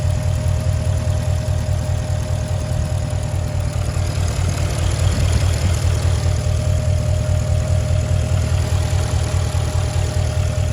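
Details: 2008 Porsche Cayenne Turbo (957) V8 idling with a deep, slightly uneven rumble and light ticking about two to three per second; engine also shakes a lot, owner asks if normal.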